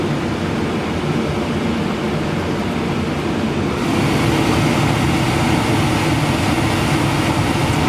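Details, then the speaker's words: Heil furnace: the burners shut off, and the inducer keeps spinning with amp draw, a steady fan rush, for post-purge to clear excess heat; normal. "Okay, burners are off. The inducer's still running. You can see it's still spinning. We're still having amp draw."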